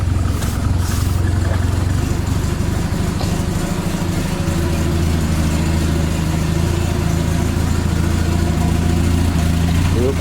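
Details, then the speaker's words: 1979 Triumph Spitfire after fuel system hookup, new gas tank and brake work, back on the road; low, even, quiet idle with a smooth steady beat and no ticks, knocks or misses, engine running healthy. "she runs pretty good let me get out so there it is folks the cheap 500 triumph spitfire uh back on the road again the brakes new gas tank so she is a winner nice and quiet no ticks coming from the engine"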